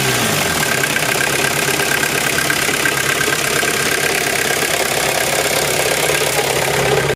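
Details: VW Golf 3 idling in neutral: a steady hissing whir and faint high whine appears when the clutch pedal is released and gets louder while driving; owner unsure whether gearbox, clutch or differential.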